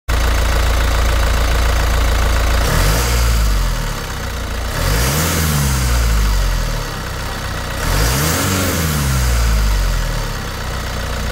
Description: Under certain conditions (primarily accelerating from a stop after towing or during a regen when EGTs have been high) my 2.8 LWN Duramax sounds like it has a boost leak but it's actually an exhaust leak from the VGT actuator bushing.